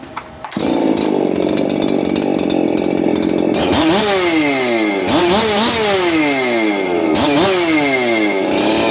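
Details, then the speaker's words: Husqvarna 372XP chainsaw bench run, roughly tuned, good compression: revved hard and dropped back with a dry rattling whir from a noisy aftermarket clutch drum needle bearing. "when I Zing it up up I can hear the needle bearing on the clutch drum but that is afterm market"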